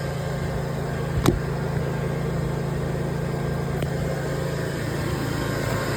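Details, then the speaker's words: 1995 Silverton yacht Mercruiser engine during rebuild: steady low rumble with no clear miss or surge; owner suspects fuel-air mixture still off, needing full throttle to start and further fuel-system adjustment. "I think I still got a few more adjustments to do with the fuel system, because I have to pretty much depress the throttle completely to crank it up. And I think it's just because it's like a fuel air mixture."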